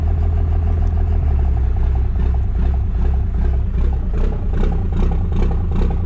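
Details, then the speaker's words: 24-valve diesel pickup after P-pump swap, in gear: deep, heavy idle with uneven loping pulse about two or three beats a second, a lope it never had before the swap. Lopey diesel idle. "It is crazy how much that Ppump has changed the sound of this thing. When you put it in gear, it just lopes. It sounds awesome."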